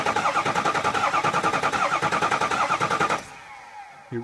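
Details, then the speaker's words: 6.0 Powerstroke diesel after EGR cooler and oil cooler install, cranked without starting to prime oil: uneven, skipping starter rhythm about 3.5 beats per second, normal after this work since no oil pressure yet. "Um, well, a few things. One, that skipping. That's normal. I usually end up hearing that after we work on them."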